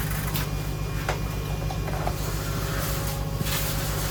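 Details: 2005 Ford 6.0 Powerstroke diesel sat about 10 years, cranking on a jump pack: starter turns the engine at a steady three-and-a-half pulses per second but it never starts; fuel pump sounds bad.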